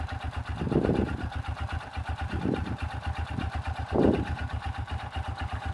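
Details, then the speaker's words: Honda Supra Fit motorcycle engine at idle with throttle blips: regular sharp knocking grows louder with each blip, a severe case; mechanic attributes it to a worn connecting rod and advises replacing it promptly. "Coba kita gas. Nah ini udah parah ini. Kalau nggak parah, bunyinya agak ngerik-ngerik dikit waktu digas saja."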